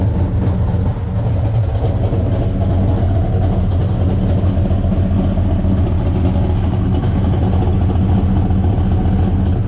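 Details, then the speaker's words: 1972 Buick Skylark 427 V8 first fire and break-in, after a loose cylinder 8 exhaust rocker was found while chasing a clack: deep, even burble climbing smoothly when revved, settling back with no knocks or ticks; engine running healthy. "take to the r this sounds good oh oh oh oh oh oh oh oh oh probably up yeah what do you think sounds awesome sounds good"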